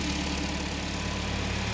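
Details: 2012 Kia Sportage 3 engine, 175,000 km, just after repair and reinstall, warming up: a smooth, steady idle with an even beat and no knock or tick; running healthy.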